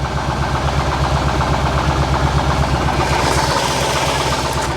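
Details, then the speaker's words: Barn-find Corvette C4 ZR-1 V8 with new alternator and belt, airbox refitted: steady, even idle with a firm low burble and no sucking hiss; idles cleanly but still revs poorly, possibly low fuel. "sounds good so with with the airbox on that's running better isn't it it justes run better with the airbox on 100%"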